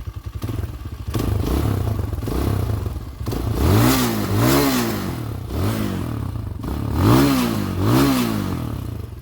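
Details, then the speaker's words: 2021 Tao TBR7 250cc dual sport after a top end rebuild, EGR removed and capped; steady single-cylinder thump with quick throttle blips rising and falling cleanly, no knocking or rattle, sounds good. "sounds pretty good."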